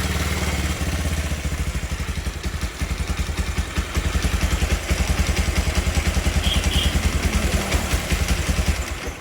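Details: Bajaj Pulsar 150 with a pickup problem, after the carburettor pilot jet hole was enlarged: crisp, even single-cylinder putter settling into a steady idle with no pops or stumbles. Now running clean.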